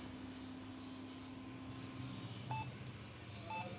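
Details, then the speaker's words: Lenovo ThinkCentre M6072 (Core 2 Duo, Q35) desktop at power-on: two short, clear beeps about a second apart over a steady fan hum and thin high whine; fan speeds up and there is no display. "हैं beep की आवाज आ रही है साथ में fan speed चज है और screen के ऊपर इसका डिस्प्ले शो नहीं हो रहा य इसको जो है ना प्रॉब्लम आ रही है"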